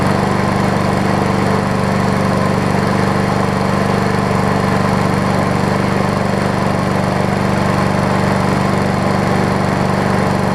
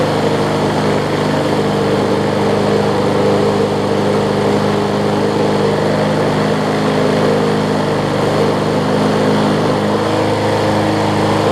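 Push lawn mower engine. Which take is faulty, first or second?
second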